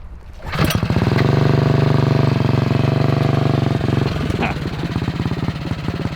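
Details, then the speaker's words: 228cc stroker single-cylinder engine in custom 4WD Power Wheels Bronco go-kart, fuel visible in line, no smoke: rough revving holds briefly then sags and stumbles under throttle, acting out of gas; bogging, cause unconfirmed. "so like you would think that um we don't have a fuel flow problem but it's really acting like it's out of gasoline"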